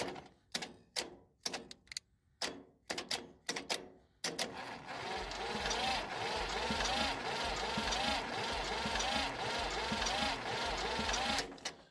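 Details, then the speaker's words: Massey Ferguson 35 diesel tractor that sat in the woods 20+ years, starter jumped with a temporary pressurized fuel tank; the starter drags the engine over slowly at about two compressions a second, too slow to build compression heat or fire. The starter is suspected to be failing. "It's slow, man, to crank. I don't understand that. I don't know if this starter is about ready to go out or what, but just want to kind of keep y'all updated."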